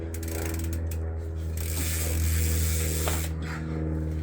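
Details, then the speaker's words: Trek Verve+ e-bike replacement wheel: rapid, crisp ratcheting clicks as the spinning wheel coasts, loud but even; its six-pawl cassette freehub is noisier than a regular one, normal operation. "and the reason they're so noisy is because there's six in a normal uh cassette Hub there's six Paws that catches the uh the free wheel"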